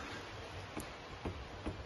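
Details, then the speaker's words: Ferrari 360 Modena on a lift during service: faint dull clicks, about three in two seconds, as the front anti-roll bar drop link, worn out at its bottom joint, is worked by hand. "this drop link here this drop link's absolutely knackered at the bottom here"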